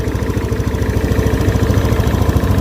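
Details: Honda Beat scooter that died on the road; oil changed at about 1,500 but owner says oil always drops between changes; single-cylinder engine idles with a steady, even low putter, regular firing, no knocks or misses.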